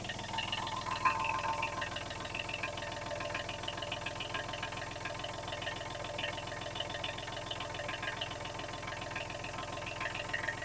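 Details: Kubota B7001 tractor diesel after replacing failed alternator that caused metallic noise, smoke and belt squeal, plus new radiator hoses and G11 coolant: steady, even idle with clean regular beat, no metallic scraping or rubbing.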